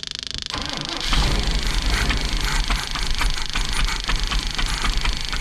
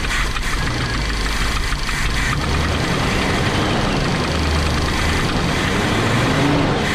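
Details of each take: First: Big block Chevy V8 in a motorhome, cold snowy day: starter grinds engine over at steady noisy cranking rhythm but never catches; starter works but no fuel delivery yet, crank no start. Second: Big-block Chevy V8 in a motorhome on a snowy day, after the fuel supply was restored following starter-only cranking with no fuel. It fires up into a deep, steady rumble with throttle blips, sounding much better. Normal running.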